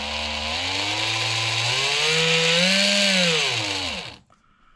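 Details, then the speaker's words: Freshly greased gear differential in a Marui Big Bear R/C monster truck, spun while holding one side then the other: smooth whirr rising and falling with speed, no grinding or clicking, normal differential operation. "test if we hold one side our diff should work there we go hold the other side get all that grease worked in there"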